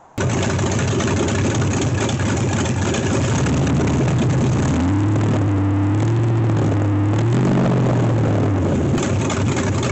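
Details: LS1 V8 swapped into C3 Corvette, first start after fuel rail O-ring replacement, cooling fans not yet hooked up: steady even idle with deep lumpy burble settling smoothly; engine healthy.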